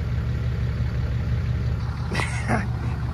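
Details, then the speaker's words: Salvage-title Cummins diesel Ram 3500, first start after rewiring on a hot day over 100 degrees: steady, even low diesel clatter at idle with no misses or knocks; normal, clean idle. "I don't know if Jesus kills me I think she just wants the phone back to watch YouTube the truck is running oh man that's amazing that is freaking amazing"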